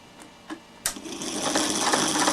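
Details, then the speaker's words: Vintage Petro Scott reel-to-reel tape recorder after capacitor can grounding fix, running upside down: clicks then rising harsh buzzy whirr; motor straining against jammed mechanism because it dislikes working upside down. "that noise you can hear is the motor it doesn't like working upside down it's got itself jammed but doesn't matter"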